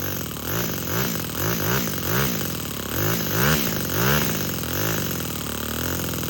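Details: Four-stroke nitro RC crawler with a Revo 3.3 transmission, first start on a glow starter with no driveshaft, so no load. Repeated blips sweep up and drop back cleanly without stumbles; it free-revs fine.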